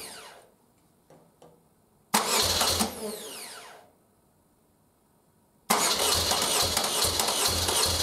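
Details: 1976 BMW R100S airhead boxer twin, dealer-rebuilt 20 years ago and stored unrun, carbs untouched and untuned, very cold, first start: engine catches briefly and stalls, then fires again and holds a steady, even idle; runs fine.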